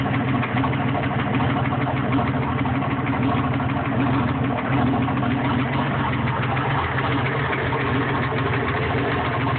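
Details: Engine at steady idle with a faint light tapping under the exhaust note; engine tick at idle, source unclear (rod knock, stuck valve or exhaust leak suspected).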